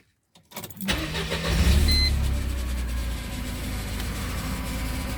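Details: Mercedes SLK230: brief high screech as the engine cranks and catches, then a rough idle. Screech began when the transmission 13-pin O-ring failed and leaked; the car now drives 1–2 minutes then won't move despite revving, working again after restart.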